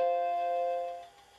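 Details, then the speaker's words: Restored Macintosh LC II after recapping with radial capacitors and reseating the NVRAM battery: a single clean bell-like startup chime, the normal power-on sound, showing the machine boots again. "Yes, there it is, the Macintosh Chime. And the machine is back to life again."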